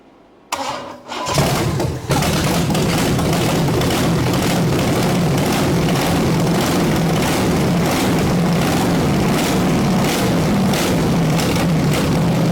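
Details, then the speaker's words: 1974 Chevy big block 454 V8 that sat 20 years under a bench: short labored cranking, then it catches and runs lumpy; the distributor had jumped and the timing was way advanced, so it had to be turned back to fire. Hard starting. "I really had to crank it back this time in order to get it to fire so it was way Advanced"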